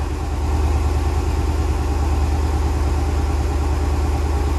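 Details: 2013 Dodge Challenger 6.4L with consistent cylinder 3 misfire at idle; low steady idle with uneven lumpy pulse about three times a second, single-cylinder misfire traced to a collapsed lifter.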